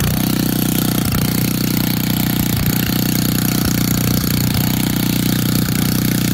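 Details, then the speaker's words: Old auction-bought Montgomery Ward tiller in neutral, just restarted and judged to need no choke: a fast, even single-cylinder putter holds a steady speed with no misses or knocking. Normal idle. "all right one neutral I just started it so I don't think it needs any"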